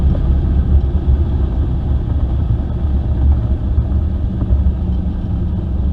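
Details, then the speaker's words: 1996 Camaro, 5.3 V8 swap, GT45 turbo, BTR Stage 2 cam, new tune test drive: deep steady rumble pulling evenly under load to about four psi boost (about 120 kPa), no knocks, misses or rattles; healthy turbo V8. "all right so we only hit about four pounds of boost and uh see there it maxed out at four pounds of boost"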